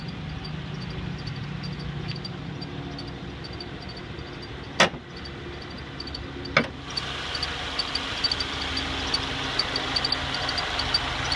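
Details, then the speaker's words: 2014 Subaru Outback at 11,433 miles, recorded December 4, 2014, in the engine area. Quiet idle with a faint, high, steadily repeating chirp over the engine hum plus a couple of handling thumps; engine bay chirp, cause unknown. "attempting to record the chirping sound in my engine area."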